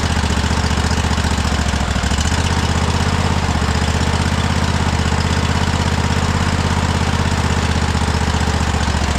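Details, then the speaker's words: Cub Cadet Super LT 1550 Kohler engine with fuel present but starving: a steady low chugging idle that holds only while carb spray or ether is fed in; it runs only on starting fluid. "This is crazy. We're just We're just feeding it ether."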